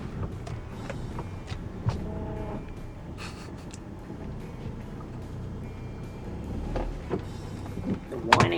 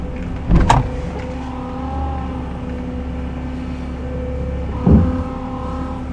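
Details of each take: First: Honda Odyssey RB1 with over 386,000 km at idle after resealing the power steering line O-ring with plumber's tape: low, even rumble, power steering pump whine now gone. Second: Honda Odyssey RB1, over 386,000 km, engine idling: steady thin whine from the power steering pump, worse at full lock, may ease as it warms; fluid level fine, suspected air leak at lower hose connection.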